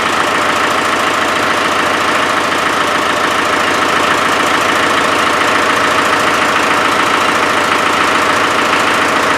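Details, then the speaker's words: Land Rover 300Tdi diesel idling: rhythmic puffing tick about three per second; owner believes compression is escaping around the glow plugs and hopes the seats are good; glow plug compression leak. "I think we've proved the point that when I could hear that chuffing it was probably coming out of somewhere these in glow plugs"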